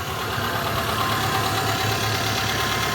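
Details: 2015 Renault Logan petrol engine idling smoothly and evenly with no whine, grinding or rattle, after the noisy alternator with a bad bearing was dealt with.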